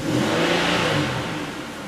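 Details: High-mileage Pontiac Aztek towed in for shaking and a suspected misfire, after the cheapest repair possible (a crankshaft relearn was discussed): an even engine note easing down from a rev with no stumble, skip or shake, so it runs smooth.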